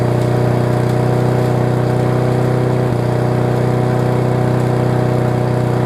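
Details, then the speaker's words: Circa-1999 Yard Machines push mower, running loud single-cylinder drone with a faint stumble, possibly too much fuel; owner suspects bad carb diaphragm, later replaced along with air filter; rough running. "think I had a little bit too much gas in it from right up round it sounds like it needs a carb diaphragm"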